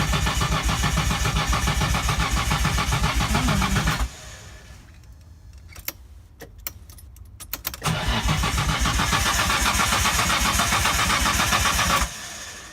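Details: Datsun 240Z with RB20DET swap cranks steadily at about four turns a second in two long bursts with a pause, never catching; cranks but won't start, cause not confirmed.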